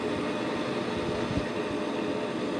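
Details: Bryant two-stage gas furnace with a no-heat fault and the house at 54°F, fired by jumping R to W at the control board. It starts with a steady even whoosh and low hum, no knocks or rattles; normal startup.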